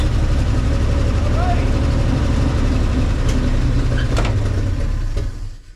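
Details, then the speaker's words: 1961 Chevy Viking 60 farm truck after freeing three stuck valves and fitting a kit: deep, even idle of about four beats a second with no tapping or misfire; running healthy. "sounds good sounds real good well it's amazing when you uh free up three valves how well it runs"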